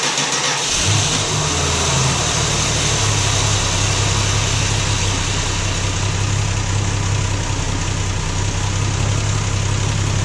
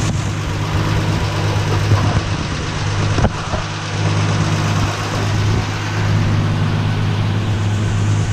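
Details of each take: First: Valiant Slant Six, cold start after seven months sitting over winter, started in neutral so the transmission pump primes (no pumping in park); catches within a second and settles to a steady, even idle with no knocks or slipping: normal cold start. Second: Valiant slant six, cold start after seven months sitting, in neutral: low idle stumbling now and then, one cylinder sputtering; owner suspects a tight valve needing adjustment or a burning valve, unconfirmed.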